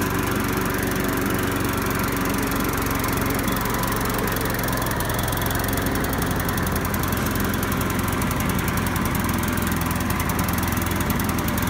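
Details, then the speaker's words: Curbside-found Craftsman mower, single-cylinder, started after reconnecting spark plug wire with missing boot and adding gas; loud, uneven, hunting idle, runs weird; owner suspects carburetor needs cleaning and maybe spark plug replacement. "so you guys can probably hear a running kind of funny so it definitely needs at least a carburetor cleaning and maybe the sparkplug Ragab"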